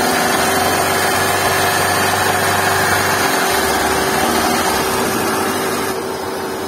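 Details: Hyundai i10 with oil warning light, revved: busy rattly clatter about four beats a second over a steady hum; suspected camshaft/valvetrain noise, not confirmed.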